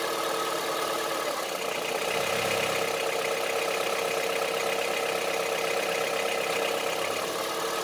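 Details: Honda CR-V III 2.4 engine at idle: steady idle with hard, diesel-like tapping running evenly, about two to three a second; engine knock at idle, cause unknown.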